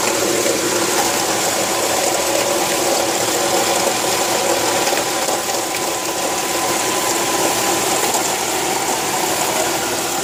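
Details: 1995 Nissan AD Y10 with SR20DE engine swapped from 1996 Primera eGT: steady harsh whirring grind with high hiss from worn alternator bearing, alternator mounted low.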